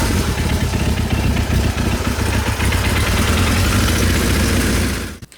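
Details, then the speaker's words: Kawasaki Z1 first start after revival and fresh carb rebuild: rough, lumpy idle with an irregular metallic rattle, about three or four clacks a second; clutch friction plate tab striking the case. "The other thing you're going to notice, if you listen carefully, is a bit of a metallic noise that is a little alarming on camera and stuff, but we were really cautious whenever we got this thing going."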